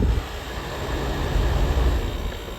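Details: 1994 EQK-rebadged Fedders A2Q10F2GB 10,000 BTU air conditioner, Rotorex rotary compressor, running with full charge: low, steady rumble with fan air rush, no rattles or clunks; running smoothly.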